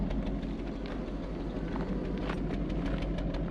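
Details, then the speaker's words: Toyota Soarer, heard from the rear at the exhaust at idle with vapour visible: low choppy chuffs about three a second with a lumpy uneven beat, engine misfiring. "with this one running come to the back here listen to that exhaust we can actually see some vapours coming out and it's chop chop chop chop chop chop"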